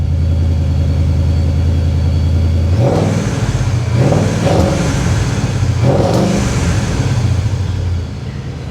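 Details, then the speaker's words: Procharged Mustang GT V8 after sitting for weeks: a deep, even idle followed by three clean throttle blips that rise and fall smoothly, with the supercharger singing; healthy, normal revving. "I know I know you shouldn't rev it up like that especially after sitting for weeks I can't help it though listen to this oh that's a thing of beauty right there that's a thing of beauty that pro charger is just singing"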